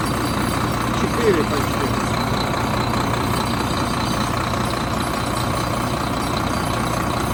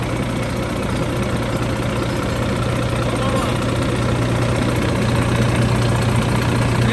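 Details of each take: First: 2013 Volvo FM 410 hp 4x2 tractor diesel with an oil pressure fault code, just started cold before warm-up: settles into an even, steady idle with no knocks or rattles; sounds healthy and runs smoothly. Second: 2013 Volvo FM 410 hp 4x2 tractor diesel, cold engine, oil pressure fault code: steady even idle with low rumble and no knocking, yet gauge drops from about 2.8 to 1–1.5 bar, too low when cold; a loss somewhere is suspected, not confirmed.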